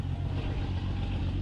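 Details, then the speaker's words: 1965 AMC Rambler American 440 inline-six, started after pumping the gas, idling and running well but with a rapid, sharp puffing tick in time with firing from a big crack in the exhaust manifold; exhaust repair paste didn't fix it. "It's actually running really good. You can really hear that exhaust leak. It sucks."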